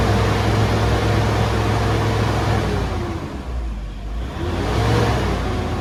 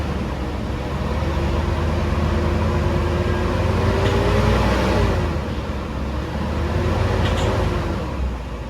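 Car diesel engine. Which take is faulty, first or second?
second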